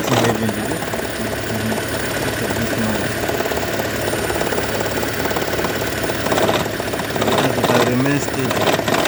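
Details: 2012 Toyota Prius, warm, idling: steady uneven knocking rattle that starts and stops with hybrid battery charging, also at low speed but not high speed or cold start, often in ECO mode; coils, plugs, injectors, PCV already replaced, cause unknown.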